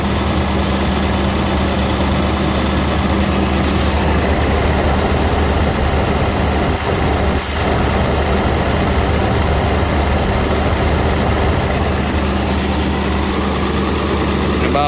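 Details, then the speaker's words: 2001 Ford F450 7.3 Powerstroke diesel at start-up on warm day, after Hot Shot's Secret additive: loud deep idle with uneven lumpy beat, shaking; smoothed out after about half an hour running. "we're gonna start it up and let it run for a little bit [Applause] [Applause] [Applause] [Applause] you see how it's shaking now"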